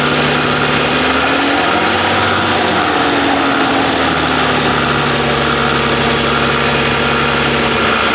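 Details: Bentley W12 engine at idle: constant metallic rattle riding over a steady idle without its own rhythm; owners first feared cylinder head or main bearing, but the cause is a worn alternator rear bearing.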